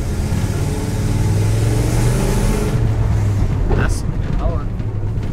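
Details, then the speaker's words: Dodge Coronet giveaway car with new transmission on a road drive: steady V8 drone pulling smoothly under light throttle, no flare, slip or clunk; runs pretty good, shifts and cruises normally. "runs pretty good actually shifts cruises right down the old road"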